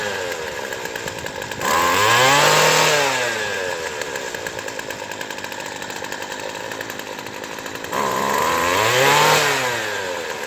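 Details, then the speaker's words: Craftsman Sim-Pull two-stroke string trimmer with a replaced aftermarket carburettor after needle tuning: crisp clean rev-ups to full speed and back to steady idle, no bogging; normal running. "There we go. So another weed eater done."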